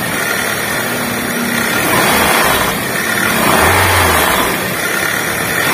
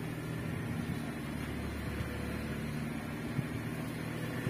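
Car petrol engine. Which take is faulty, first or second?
first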